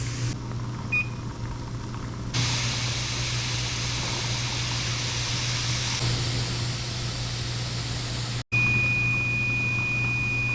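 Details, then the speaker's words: Pressure canner with a hot pack of butter, venting before 10 lb of pressure is added: a loud, steady, unbroken hiss of steam from the vent, with a 10-minute timer beep. Normal steam venting. "Now I am at a steam. You can not only hear it, but if I put my hand over it, I can feel the steam."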